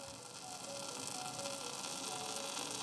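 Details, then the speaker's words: Sony WM-190 Walkman cassette player with a new belt but original spent or leaking electrolytic capacitors, volume at maximum: a steady loud hiss with faint wavering tones and no clean audio, caused by the failing capacitors. "Can you hear this? This is all because of the capacitors."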